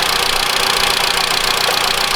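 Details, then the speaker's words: 2013 Mitsubishi ASX 1.8 petrol, CVT, 448,000 km, after replacing the slipping, knocking alternator pulley. Idle heard via stethoscope at the bracket: a light, smooth whirr with no knock or chatter; normal. "Сейчас этого звука нету. Всё, сейчас спокойно."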